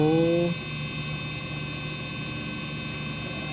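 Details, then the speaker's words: Brushless RC motor on SkyRC BMA01 analyzer at near full throttle; clean steady high whine, no rattle, peaking about 82 dB versus about 90 for new motors, healthy quiet motor. "full throttle. Ooh, this one's nice and quiet. Peaking at 82."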